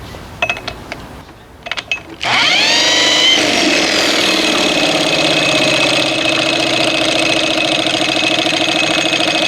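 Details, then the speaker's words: 1987 Evinrude 4 hp two-stroke outboard after ignition spark restored: starts after a few pulls then runs high, buzzy and uneven, not settling to a clean idle; dies when dropped into gear, cause unknown. "I mean, you can't drop it in gear and it's going to die like that."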